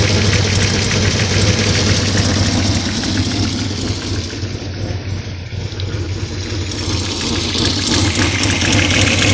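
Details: 1970 Opel GT petrol engine at idle: light, regular clicking of about three to four ticks a second, heard toward the back, fading at higher rpm; ticking at idle, cause unknown.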